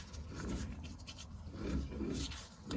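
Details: Fiat 131 rear wheel turned slowly, with the shaft seal leaking oil: gritty, rough rumble swelling and fading each rotation; owner suspects the rear wheel bearing has gone too.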